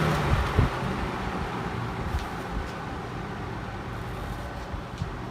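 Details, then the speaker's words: 1960s Penncrest (Lakewood) 14-inch box fan with GE motor, running on low: steady low hum under a soft, even whoosh of air with a continuous tone, no knocks or scraping; normal running. "It actually sort of has a continuous sound on low."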